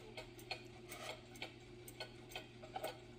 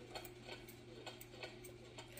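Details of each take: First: Old Glory cuckoo clock with the pendulum running, after one side of the case was raised from an uneven beat: a crisp tick-tock of about two to three beats a second with equal gaps. The clock is now in beat. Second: hear how it's kind of off it's not even between the tick tocks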